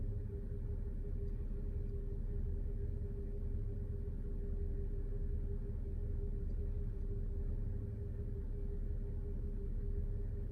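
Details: BMW 330i N53 engine on cold start: heavy low rumble with a steady hum, firing uneven and lumpy; rough cold-start idle.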